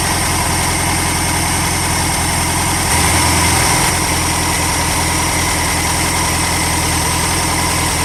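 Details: VW Super Beetle after replacing alternator, starter and distributor, idling while timing is checked with a timing light: steady, even air-cooled idle with a regular chuffing beat and a brief blip around three seconds; healthy.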